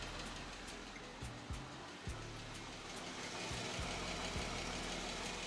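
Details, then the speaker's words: 2015 Jeep Wrangler Rubicon 3.6L Pentastar V6, warm after five minutes running, heard at passenger-side bank: light quick ticking three or four per second over quiet idle; worn rocker arms and lash adjusters, with both banks to be done. "the car been running for about just five minutes now and you can definitely hear that uh knocking sound and it's obviously coming from this bank"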